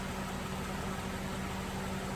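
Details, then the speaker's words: Jeep after replacing the failed radiator fan relay (second in two months); steady whoosh and low constant hum of the cooling fan running normally on high, audible walking in front of the radiator; owner calls it fixed. "when it's running on high you can hear it by walking in front of it you can hear the fan running"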